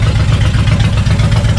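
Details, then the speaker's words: Suzuki Intruder VL 1500, sat for years, after carb cleaning and decompression valve check, no choke at 80°F: deep, loud, even V-twin lope, both cylinders firing cleanly without misses; very open exhaust, healthy idle. "oh it sounds beautiful sounds beautiful so after a good carb cleaning uh checking out the decompression valves uh this thing seems to run like a top"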